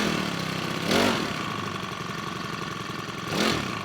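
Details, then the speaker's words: New Makita EBH252U petrol brush cutter, first start from cold on choke, 2–3 minute warm-up; steady fairly high idle hum with two short throttle blips, running evenly; normal cold idle on choke. "You need to progressively take the choke back as it warms up. It takes 2 or 3 minutes just to warm up, so we'll let that warm up."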